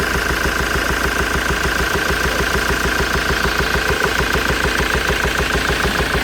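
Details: Ford Transit 2.4 TDCi diesel at idle with a sharp, even knock about three times a second from a failed hydraulic lifter; valve cover removal showed one lifter had come out and lay sideways.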